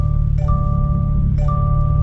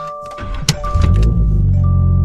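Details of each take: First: Toyota GR86 barely moving in a cul-de-sac, seatbelt unbuckled: a clear two-tone reminder chime repeating about once a second over low road rumble, growing louder the longer the belt stays off. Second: Toyota GR86 at startup after a seatbelt-chime reset attempt (electronics on 20 seconds before starting): clear mid-pitched electronic chime in short repeated tones over the engine rumbling up; the normal startup chime still sounds.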